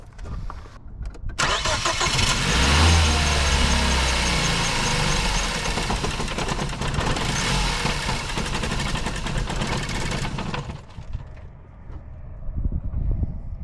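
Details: 1960 International tractor with about nine seconds of heavy, low-pitched cranking and uneven compression beats, never catching; temperature gauge was fine, and a fuel problem is suspected in this hard start.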